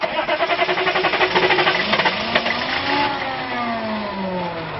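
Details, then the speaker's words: Hot restart of the TurboWeasel diesel truck after it died: it failed to start twice at gas stops, and it is now cranked with a remote PMD plugged in. Steady cranking for about two seconds, then it catches and revs, though it only reaches 2,000 RPM; PMD suspected. "tried to start it twice at the gas stations earlier and at the fruit and nut place, it wouldn't start. See what happens now. Crank this baby up, it just freaking died."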